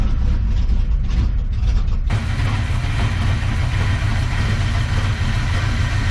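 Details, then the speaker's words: 1970 GMC truck V8 first run after fuel-delivery trouble, warming up: heavy, lumpy, crunchy rumble at very slow idle; rough idle, owner may need to raise the idle setting; cause not confirmed. "pop off the water a little bit lord she's crunchy i may have to set that idol up a little bit"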